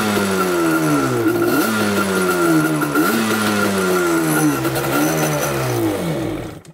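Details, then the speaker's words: Yamaha Banshee two-stroke twin, rarely ridden, after a fuel tank cleanout: on choke the raspy revs blip up and drop back with an uneven, stumbling beat as one cylinder misfires. Owner suspects a fouled spark plug. "But you guys can see this one's misfiring over here. It's like it's not getting anything to it. So I wonder if that spark plug's fouled already."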